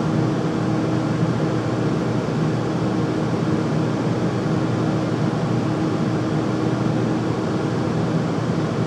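A steady, loud roar with a low constant hum underneath and no knocks or rhythm; the furnace is running noisily, cause undetermined.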